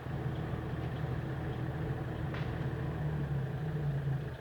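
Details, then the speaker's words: Front-wheel-drive car jacked up with one front wheel raised, engine running in third gear with the clutch released: steady low droning hum while the wheel spins, a test to find which side's hub bearing is worn. "я выжил и вот вы услышали гул вот таким методом можно быстро определить с какой стороны будет подшлемник"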